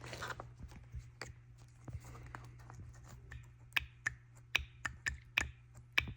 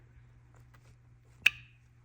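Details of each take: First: BMW N54 single-turbo 335i with camshaft and VANOS faults: a good VANOS actuator pulsed on the bench gives quick, soft, clean, quiet plunger clicks with no metallic knock, unlike the loud, pinging failed one; hook-ring failure suspected. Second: BMW N54 single-turbo 335i with camshaft and VANOS faults (suspected hook ring failure): removed original VANOS solenoid actuated on the bench gives a loud mechanical clack with a ringing ping, unlike the quiet, clean-sounding new ones.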